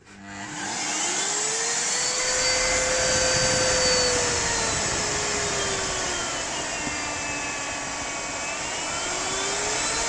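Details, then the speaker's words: Miele Complete C3 Total Solution PowerLine 890W vacuum, used, fully cleaned, new filters fitted: motor spools up within a second to a strong, steady high whine with even airflow rush, no rattles; very powerful, working normally. "It is very powerful."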